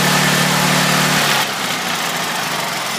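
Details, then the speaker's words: Duramax XP10000E generator running on propane after tri-fuel kit install; starts fast and busy, then self-idle control drops pitch to a steadier, lower idle and it smooths out once warm; normal start and warm-up idle. "So once it warms up, it revs first to get everything running. Then it'll idle down. Once it warms up, it smooths out really nice."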